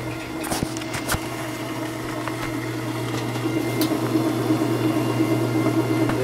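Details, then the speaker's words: 12-year-old Kirkland washer, whose rinse/spin had stopped because of a bad lid switch, now running after the lid switch fix: steady low hum with a faint whirr and no knocks or grinding. Spin cycle working normally. "spin cycle is in effect not bad by the way this is a uh C it's about 12 years old"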